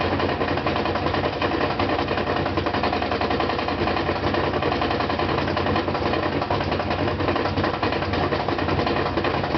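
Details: Brand-new GE washer (Sep 2012) spinning a load of two blankets: a loud spin roar with heavy, uneven thumps about every half second, absent when empty and fine during wash and rinse; a loose counterweight knocking.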